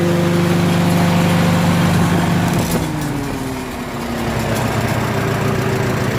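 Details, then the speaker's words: Farmall H tractor engine with new cap and new plugs gapped at .025 in; steady low idle, regular beat about three and a half per second, no misses; sounds nothing like before, solved for now, full tune-up still planned. "but I don't know I'm listening to it I kind of like the way it's idling that's not the same engine is what was in the last video that's for sure"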